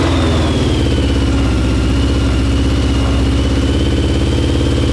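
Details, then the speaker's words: CBR600 four-cylinder carbureted engine in reverse trike after reconnecting fuel line and closing float bowl drains: steady even hum, smooth regular firing, no knocks or misses; normal running. "let's go finally working only took me all day"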